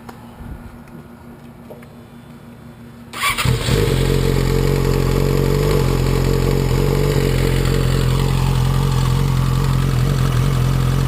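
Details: Yamaha R6 after a highside, crank/timing cover off: fast metallic rattle over idle building with revs, chain seen jumping at higher rpm; cam chain tensioner seems to be at fault, noise gone after reassembly, new CCT ordered.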